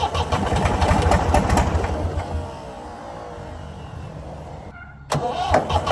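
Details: Previously seized Ford 4000 diesel tractor on starting fluid: rough cranking catches into a ragged run with irregular knocks about three per second, then dies; owner blames throttle and air, suspects a diesel leak, not worried about knock yet.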